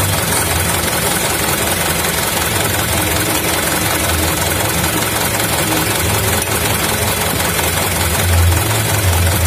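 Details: 2011 Mitsubishi Canter Super Speed diesel, which had rough running, a knock at shutdown and weak power traced to a broken injection pump timer: steady, even idle clatter with no misses or knocks after idle adjustment.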